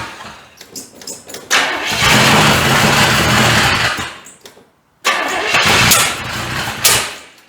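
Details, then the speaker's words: 1985 Chevrolet C30 with gas engine swapped in for diesel. Catches and runs ragged with surging, stumbling revs, then dies and refires; distributor found one tooth off and wanting more timing, carburetor needs adjusting. "Let me fix this, because I'm hitting back there and it wants more timing."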